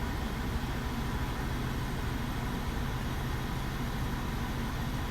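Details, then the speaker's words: Peugeot 107 small engine idling, revs held slightly up, with AC running after a fuse replacement: steady idle with the blower's smooth rush, no squeal or clatter; cold air blowing, AC working normally. "you guys blowing the cold air now so that this problem is sorted"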